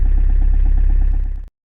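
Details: Toyota Avensis 2.0 D4D diesel, extreme cold start in Lithuania: it labours through a slow, heavy cranking rhythm of roughly four to five beats a second before cutting off abruptly. Hard cold start, cause not confirmed.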